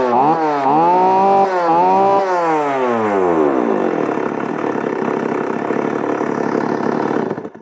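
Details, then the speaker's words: Second-hand chainsaw checked before buying: starts with a few quick blips that fall away, then settles into a steady, even idle without hunting or stalling; idle stable, normal. "idling dia sekata ke tidak? Okey. Kita start, dia hidup tu dia stable ke tidak? Itu sangat penting."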